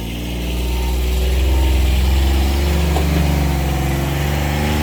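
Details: 2019 John Deere Gator XUV 865R diesel after replacing burnt factory synchronous drive belt (jerky in high range, lost top speed at ~600 miles): engine pulls up smoothly and holds a steady drone, no jerks, slips or flapping; belt drive working properly.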